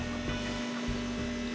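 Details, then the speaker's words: Electric fuel pump on a 426 Hemi on an engine run stand, switched on to check for fuel leaks before first cranking, engine at 100 degrees; steady, even hum at one pitch, no surging or stutter, priming normally. "The first thing we want to do is check for fuel leaks, so I'm going to turn the fuel pump on."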